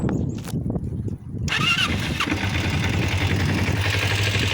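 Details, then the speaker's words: 2000 Kawasaki Ninja 250 twin with replacement engine, fixed after sitting 14 years, warmed up: a few clicks, then catches and settles into a steady, even idle, no misses or knocks, no carb adjustment needed. "it runs good didn't have to do any adjusting to the carbs or anything"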